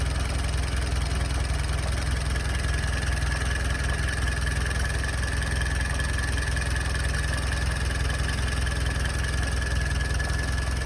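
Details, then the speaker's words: Jeep engine idling in neutral, heard at the engine bay: low, lumpy idle with a slightly uneven beat; rough idle, owner suspects it needs a carburetor adjustment, unconfirmed. "So here, I'm gonna let you just listen to it idle for a bit. My hunch is she does need a carburetor adjustment, but I'm gonna let it idle."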